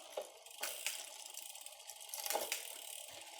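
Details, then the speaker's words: Mechanical rear derailleur after cable tension adjustment, shifting up the cassette: quiet drivetrain with crisp single clicks as each gear engages, no grinding or chatter, clean shifting. "so we're going to leave it at there for tension and we're just going to shift up you can hear it's slotting into the gears pretty nicely without a ton of noise once it's in the gear we're just going to keep going"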